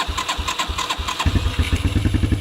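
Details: 1987 Suzuki Quadrunner LT230E single-cylinder ATV, started outdoors with jumpers, frozen choke cable so choked by hand over the carburetor: a few choked, uneven chugs, then it catches and settles into a quick, even thump; healthy cold start.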